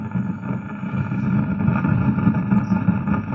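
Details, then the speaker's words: Home theatre speaker on USB input under repair: a steady rushing hiss with a low rumbly buzz and no music, unchanged when the volume is adjusted, so the amplifier hiss persists after a first check. "फिर भी, वही फुफकारने की आवाज आ रही है। ठीक है? देखो, मैं वॉल्यूम एडजस्ट कर रहा हूँ। कुछ नहीं हो रहा है।"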